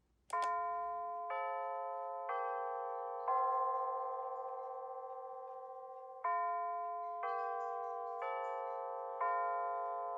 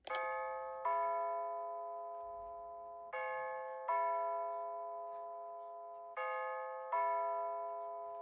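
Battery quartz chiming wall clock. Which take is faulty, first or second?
second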